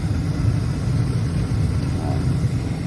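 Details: Carrier horizontal 80% efficient gas furnace with AC, made in 2001 (21 years old), in an attic, during a tune-up: steady low rumble of blower and burner, no rattles, squeals or surging; the unit is running pretty nice.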